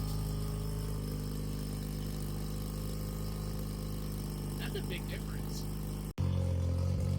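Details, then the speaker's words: 1993 Mazda RX-7 Turbo (FD) after a Vibrant stainless resonator was welded into the exhaust: much quieter, smooth steady rotary idle, less raspy, with one brief dropout and no misses or rattles; healthy. "It sounds good idling there, like it's got a good tone to it. It almost like it brought out the rotary tone a little bit more."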